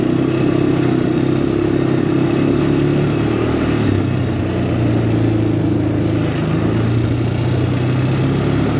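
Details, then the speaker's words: Honda Recon ATV revived after years sitting in the woods, riding uphill: runs unevenly at light part throttle with dips and stumbles, as if running out of fuel, then smooths when opened up; owner suspects remaining gunk in the carburetor. "Yeah, she did good at first. Now she's sputtering just under low throttle."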